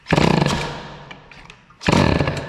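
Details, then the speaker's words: Peugeot 103 moped, air-cooled Stage6 MK2, after silencer retightened, testing MVT DD CDI: two short buzzy bursts that catch and die; hard starting, owner suspects insufficient ignition advance. "Je connais le bestiau, ça, quand on en chie à démarrer, c'est qu'il n'y en a plus assez."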